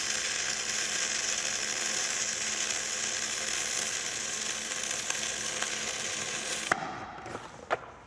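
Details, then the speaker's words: Gas-shielded flux-cored arc welding (FCAW-G), with the nozzle kept clean. There is fine, even crackle and sizzle for about seven seconds, then it stops: a small, soft, steady, healthy arc that is nonetheless very hot. "You know, even don't let that really small, smooth, and soft arc fool you. I There's a lot of heat going on here."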